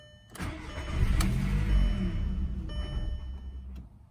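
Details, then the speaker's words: 2002 VW Golf after battery died from a month of sitting and was recharged, key immobilizer light blinking: engine cranks, catches, runs about three seconds, then dies abruptly as the immobilizer cuts it. "if you listen closely it see it starts to run and then it kills itself so try it once more"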